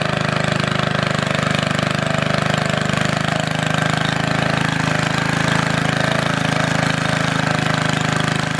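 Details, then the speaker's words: Antique Goodall-Modern edger with 3hp Briggs & Stratton engine, last run mid-1990s, started after fuel turned fully on, many recoil pulls needed; fast steady single-cylinder putter at constant speed, no missing; normal running. "I got it running guys took quite a few polls"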